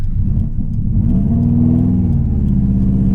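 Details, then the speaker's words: Subaru WRX, flashing check engine light, dropped into first and accelerating: deep rumble rising in pitch with rough, uneven beat under load; misfire, owner suspects spark plugs. "So, I've got a misfire of some sort. Obviously, dude, obviously I've got a misfire."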